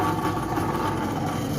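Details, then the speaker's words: Washing machine that would not spin, after fitting a new spin motor capacitor (previously hummed without turning): steady low motor hum, even drone, no stalling or buzzing; spin motor now running normally. "dan tampaknya udah berputar ya kawan-kawan itu dinamonya di bagian sana"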